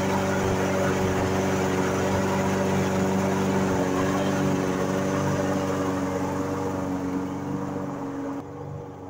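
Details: Briggs & Stratton mower engine, long-sitting and failing to start, runs after carburetor cleaned with needle and spray and a disengaged part refitted; smooth, even drone at steady pitch, no surging or stumbling, fading slightly at end; running healthy.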